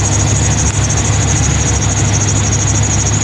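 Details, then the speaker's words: 2000 GMC K2500 with Gen 6 Vortec 7.4L 454 big block at idle: a steady high-pitched squeal that never changes pitch, from the serpentine belt slipping; WD40 silenced it only temporarily and the cause is still unknown. "WD40 seems to Temporary to fix the belt problem so I'll figure out what's going on with that stuff"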